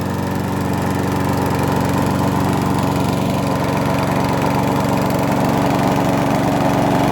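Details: Abandoned Huskee XT650 mower revived after sitting in the yard a year or two, with threads cleaned and a gasket seated, tied down: steady, even single-cylinder chug with no misses, knocks or surging; normal running.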